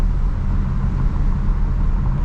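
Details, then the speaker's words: 2006 Dodge Ram 1500 driving after a crank-no-start, suspected fuel pump, bought for its engine and transmission; deep steady V8 rumble, no knocks, ticks or whine. Normal engine running; suspected wheel bearing and brake noises elsewhere. "i mean the engine sounds great the transmission feels even better this is freaking awesome"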